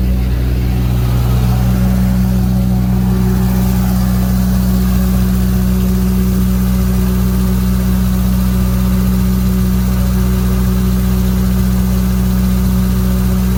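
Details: 35 kW Briggs and Stratton generator with GM 3.0 L four-cylinder engine: low steady drone with lumpy, uneven beat near twice a second at idle; rough idle, ultimately traced to a faulty computer control panel board.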